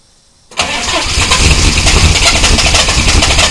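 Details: 1993 Chevy dually 6.5L turbo diesel 4x4, smoky cold startup without block heater: fires after a brief crank and settles into a rough, loud run with an uneven knock; engine knock on cold start of undetermined cause.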